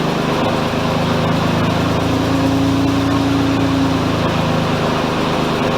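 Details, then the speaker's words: Mazda RX-7 FC rotary project idling loud with a fast buzz, held high and steady; this is as low as the idle will go. Owner suspects a decent vacuum leak is still present. "so all right you're not going to be able to hear it very well it's very loud now but she's fired up kind of oil that's about as low as i can get the idle i'm pretty sure i've still got a decent vacuum leak"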